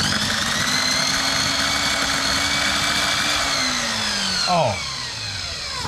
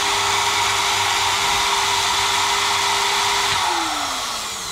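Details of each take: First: GTPRO ceiling sander, first power-on test: high whining motor with harsh hissy crackle, pitch dropping at wind-down, electrical burning smell; suspected sparking brushes, not confirmed, motor to be opened. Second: GTPRO ceiling sander after opening and checking the brushed motor's brushes: steady clean motor hum with no crackle or sparking, smooth wind-down at switch-off; normal run, brushes expected to bed in with use.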